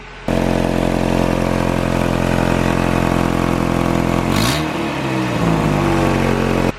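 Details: 1986 Toyota 4Runner 22RE before repair, broken exhaust Y-pipe; loud raspy idle with a sharp puffing edge on every pulse, then a quick blip, a huge exhaust leak.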